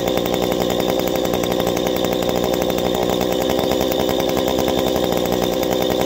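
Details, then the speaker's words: A two-stroke chainsaw at full throttle during high-side carburetor adjustment holds a high, steady scream with no burbling or four-stroking. It is running normally at the mixture's sweet spot. "on the high side it's the same but backwards instead of having it idling you hold the trigger all the way down having it revving up as high as you can"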